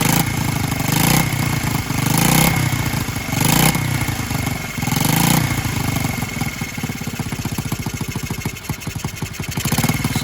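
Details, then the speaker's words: Honda Z50R minibike during restoration, first start: a few throttle blips then ragged idle with a tinny rattle in time with firing, first thought to be exhaust but traced to the cylinder head, bolts probably just loose; bolts to be tightened, gasket if needed. "head bolts are no big deal probably just loose if it needs a gasket i'll put a gasket it's not a big deal"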